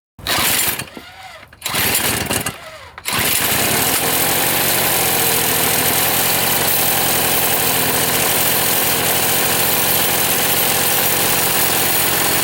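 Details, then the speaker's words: Old Toro two-stroke snowblower after a plug change, suspected fouled plug and low compression: stumbling start attempts, then a buzzy, slightly uneven idle at lower rpm; running poorly, cause unknown. "up fellas you hear it something's not right notice that the RPM was lower we'll just see you again she don't feel well"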